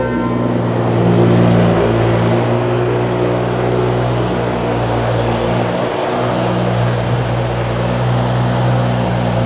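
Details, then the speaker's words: 2011 BMW F10 535i, N55 engine, straight pipes, after replacing VANOS solenoids and resetting adaptations: steady, even idle with no stumble or misfire, previously running very rough. "as you can see the engine sounds great now"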